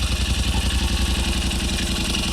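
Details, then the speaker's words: 2023 Yamaha Rmax side-by-side just after engine rebuild, first run before clutches fitted: even, steady idle with regular low firing pulses about ten a second, no knocks or misses; rebuilt engine running smooth and healthy. "Man, that sounds so smooth. I can't tell you how nervous I was about that working. still running real good."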